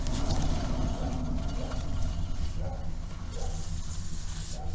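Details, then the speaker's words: Wheel raised on a jack and spun by hand, then disassembled: steady low rumbling growl, worn wheel hub bearing clearly heard. "характерный звук износа. Ну вот, разобрали полностью. Теперь этот звук вообще прям отчетливо слышно. Это шумит ступичный подшипник."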